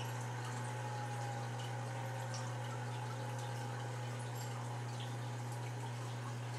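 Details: Seagate ST-225 5.25" half-height 20 MB hard drive spinning up: smooth steady low hum with a faint even whine, no clicks or scraping; normal spin-up, no error codes.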